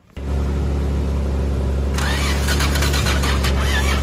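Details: Old carbureted Toyota Crown: steady low droning crank with brief catching sounds but no clean firing; cranks without starting, battery seems weak; cause suspected, not confirmed.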